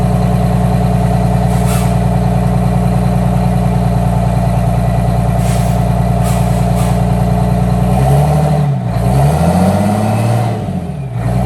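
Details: 1962 GM 4106 bus with a Detroit Diesel 6V92 TA, just started after an oil change: even, steady diesel drone at idle with a low rhythmic beat, then a couple of clean revs; engine sounds healthy.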